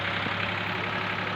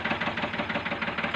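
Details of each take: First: Old Ford tractor diesel: the nozzle was checked and found fine, then screws were loosened and the fuel slowly increased. On restart it gives a steady, even idle with a smooth chugging beat and no knock or misfire; the problem is now fixed. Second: Ford tractor diesel at idle, still running rough after the injector nozzles were checked and refitted, sound unchanged: hard, uneven knocking beat about nine times a second; low fuel delivery from the injection pump, to be corrected by adjusting the pump's delivery screw.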